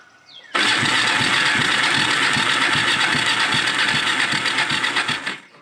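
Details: Four-wheeler ATV that had been sitting a while, after a new fuel filter and ignition coil: steady starter cranking, about four pulses a second for five seconds, never catches; cranks but won't fire, and starter fluid is tried next.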